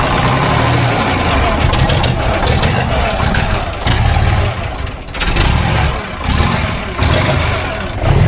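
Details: Abandoned, overgrown concrete mixer engine started after 10 years unused: small engine catches and settles into a low, lumpy idle that surges and sags about every second, as if fuel-starved after long storage.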